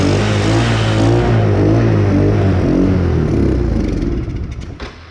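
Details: Chinese 125cc kids ATV, hard starting, carb mixture screw just set about four turns out, before spark plug change: small engine revs unevenly, lumpy and stumbling, then dies; rough running blamed on worn spark plug.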